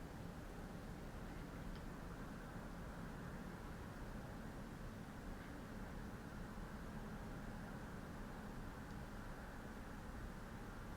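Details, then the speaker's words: 2013 Lexus CT200h petrol engine idling after spark plug replacement: steady, even low rumble, no rattle or knock; it previously rattled, especially in the morning, with a check engine light. Normal idle. "yep that's the car after i change the spark plug that's how it runs"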